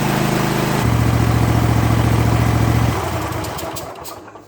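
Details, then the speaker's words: Kohler 7000 series engine on a zero-turn mower at full throttle after a rebuild kit fixed its surging: an even, steady beat with no hunting, surging or coughing, then a clean wind-down. Running like new. "it's running clean crisp and smooth no hunting no grunting no surging no coughing it's running like a brand new engine if you can believe that"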